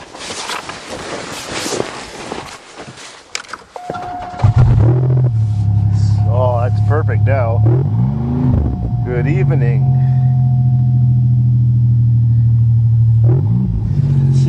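After a few seconds of background noise it starts and holds a smooth, steady drone with no missing beat, now running on all cylinders.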